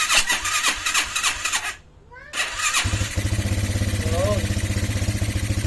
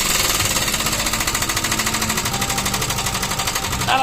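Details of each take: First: Restored Motorstar classic motorcycle, freshly fueled and oiled with oil pump checked, battery fitted: cranks on the starter, catches and settles into a steady, even idle with no knock or rattle; now quiet, only the carburetor audible, unlike before. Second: Motorstar classic motorcycle: fast, even rapping clatter of about eleven hits a second over the running engine; the old loud mechanical noise, source not pinned down.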